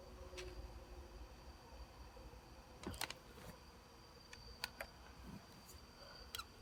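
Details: Sony D-90 Discman, just received: faint, irregular sharp clicks every second or so over a quiet whir; clicking noise, cause unclear.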